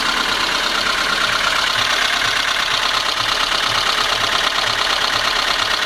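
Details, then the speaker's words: VAZ 21213 engine at idle runs evenly but with a dull, regular knock about twice a second under the hiss; valve cover to be removed for inspection, cause unknown. "Так как стучит мотор мой."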